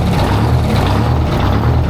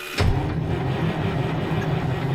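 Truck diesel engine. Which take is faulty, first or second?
second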